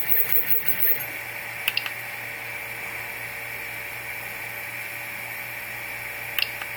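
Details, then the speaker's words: Replikeo Prusa i3 3D printer Z-axis stepper motors, driven manually from the LCD controller with X strapped away and no load: steady high whine, low hum and sharp ticks. They turn, pause and lock up rather than drive smoothly. The motors are not hot. Marlin firmware was set up by Replikeo and is uncalibrated. The owner suspects the motors get both direction commands at once. "See, that locking noise is what I'm concerned about. Because I'm not getting a smooth drive on these motors."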